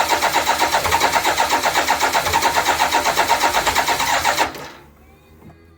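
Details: BMW K1200LT motorcycle during no-start testing: quick, regular starter cranking at about four turns a second for four seconds with no catch or firing; cranks but won't start.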